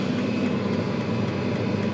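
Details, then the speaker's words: Chinese diesel water heater lit, 10 V, fan 3,400 rpm, pump 3.6, water up to 30 degrees: even fan whoosh with soft low combustion rumble, no surging or popping; running normally, heating water. "So it is totally heating up this pot of water right now."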